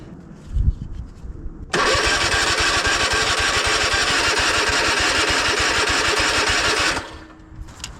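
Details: Cub Cadet Super LT 1550 tractor, long-sitting with old fuel, cranked via jump pack on the starter: steady, even chug for about five seconds without catching; cranks but won't fire.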